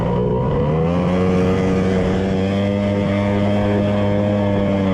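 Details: 1100 triple jet ski with custom cylinder head domes, spark plug just swapped: steady flat buzzing drone lacking a crisp note, one cylinder dropping out; a rag left jammed in the PTO carburetor probably the cause.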